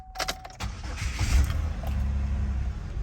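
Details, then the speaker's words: 2009 Buick Lucerne towed in cranking but not starting; fuel pump relay diagnosed bad and replaced. After a few clicks the engine catches straight away and settles into a steady, even idle. Normal start. "I'll start right on up."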